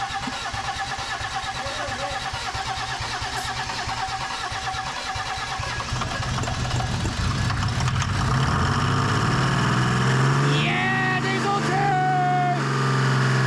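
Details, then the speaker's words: 1987 Mercedes 300SDL 3.0L turbo diesel straight-six, sat 5 years, after fitting a 350SDL head: cranks, catches, idles with knocky uneven clatter then revs; fuel bubbling from number two injector, compression escaping, running rough. "well that would explain why it was running like garbage all of your all of your compression's escaping"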